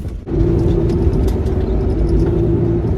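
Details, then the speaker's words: 2003 Honda Element driving on test run after aftermarket axle replacement: steady low hum at fixed pitch over road roar at constant speed; wheel-bearing-type growl persists, cause suspected, not confirmed. "the noise that i'm complaining about is still there and it's definitely like a wheel bearing type noise here"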